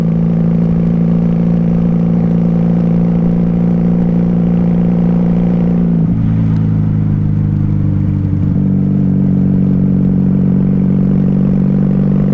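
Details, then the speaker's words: 1994 Honda Magna 750 VF750C, baffles removed and needing re-jetting, cruising: steady drone sags and drops in pitch with no pickup on throttle, then recovers; feels like running low on gas. "it almost feels like i i am running low on gas i know there's plenty in the tank so i'm not concerned"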